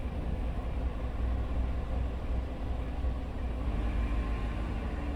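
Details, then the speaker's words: 2018 GMC 5.3 V8, 72,000 km, idling with lumpy uneven beat and shake, traction light on; bank 1 misfire on all cylinders, codes P0172, P0300, P0132, P0137; caused by faulty bank 1 upstream O2 sensor falsely reporting rich. "the traction light just came on just sitting there idling and then it smoothed out i didn't do anything it was shaken like a misfire"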